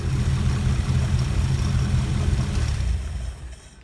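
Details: Classic car running after a spark fault was fixed, before flasher unit and lights testing: a steady, even low rumble that dies away at the end; it runs smoothly and sounds healthy.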